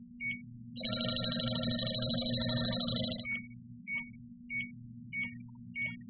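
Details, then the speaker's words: JB Industries LD5000 Prowler refrigerant leak detector run past a cap briefly opened on a refrigerant container: continuous warbling alarm breaking into evenly spaced chirps, alarming until the refrigerant wears off. "Okay, and that will alarm until the refrigerant wears off."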